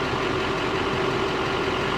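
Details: Older Chevy 2500 heavy-duty 3/4-ton pickup with gas V8, at auction: steady, even idle, smooth low rumble with a faint constant hum, no knocks or misses; normal idle.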